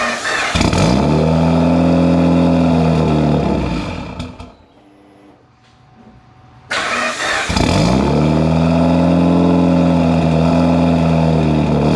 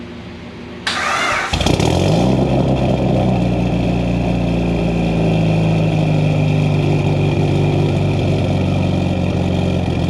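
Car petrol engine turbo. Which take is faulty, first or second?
first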